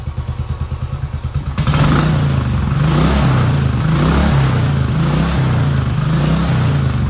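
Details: 2010 Royal Enfield Bullet Electra EFI, 965 miles, unused for years; after fresh fuel, replacement battery and fuel-leak repair it starts smoky, then gives an even single-cylinder idle and clean, smooth rev rises without misfires or rattles; runs healthy.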